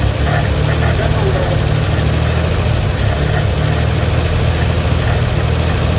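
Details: 1957 Chevy truck stored for decades, running after the points were fixed, put in gear and driven on a hot day: deep, even drone with steady pulses, no misfire or knock; running healthy.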